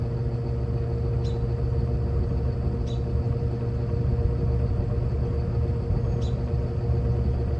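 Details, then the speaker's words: Evenflow by Robeson 20-inch box fan, needs cleaning, recorded from the back on low speed; steady low hum and even airflow rush, no rubbing or rattle. Healthy, normal low-speed running. "So, here's the operating sound on low. Put it to medium."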